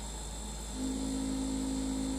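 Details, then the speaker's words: 2-year-old LG refrigerator LFXS24663S with compressor running; quiet hum becomes loud steady low buzz (about 72 dB at 10 ft) when plastic condenser drip pan is pressed, resonating with condenser fan shroud, not from below pan. "get into that resonance the resonance is not coming from below the pan because you can see the pan has a double layer of foam about six inches being pressed beneath it"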